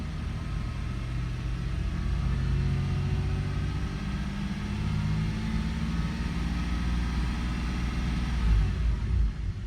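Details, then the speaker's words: 2002 Toyota 4Runner with start-stall and multiple cylinder misfire complaint, after about five minutes running in open loop/default mode: engine picks up smoothly on light throttle, accelerating fine with no stumble or misfire. "accelerating fine. Um, but like I said, it's it's in default mode."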